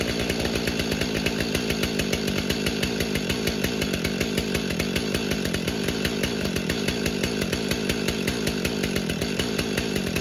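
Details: Stihl MS500i chainsaw cold-started in snowy, icy weather after sitting in an unheated garage, primed eight times, decompression used: fires and settles into a crisp, even two-stroke buzz with steady firing pulses, no misses; normal.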